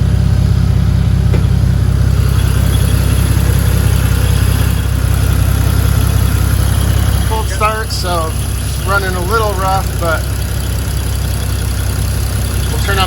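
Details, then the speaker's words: 1986.5 Toyota Supra MK3 with 2JZ swap, next-day cold start after leaking fan clutch replaced: steady low rumble, slightly uneven cold idle, even fan roar behind it; engine and new fan clutch sound normal. "all right I'm going to do a start this cold start the next day just to let you know know what the fan should sound like when you start"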